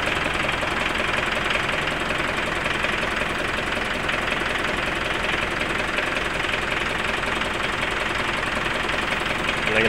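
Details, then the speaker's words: Mitsubishi Pajero common-rail diesel after no-start repair at timing belt, started easily; steady even idle clatter with a light regular tick, no misses or hunting, clear intake hose shows no air leak: normal diesel idle. "Ya sudah hidupnya juga sudah gampang teman-teman kondisi mesinnya seperti ini"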